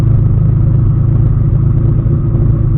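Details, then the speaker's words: BMW M20 engine on first start with TunerStudio, cold idle during warm-up enrichment tuning: low, lumpy rumble with uneven pulses; rough, air-fuel swinging slightly rich, possibly initial timing, cause unconfirmed. "I'm going to put a little bit more fuel in it because I don't like"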